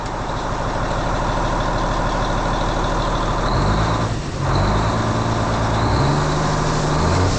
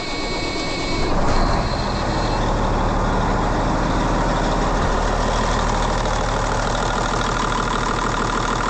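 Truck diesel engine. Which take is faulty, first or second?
second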